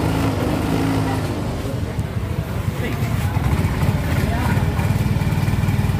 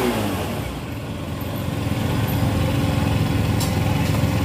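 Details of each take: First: Yamaha Soul GT 125 scooter with throttle complaint: the engine stumbles and surges unevenly as the throttle opens and loses power, never pulling cleanly. Carb cleaner is used for cleaning. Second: Yamaha Soul GT 125 scooter, previously hesitating, bogging and lacking power, after cleaning the dirty injector with carb cleaner: engine revs up smoothly and evenly with no stumble or misfire, clean free throttle response; normal revving.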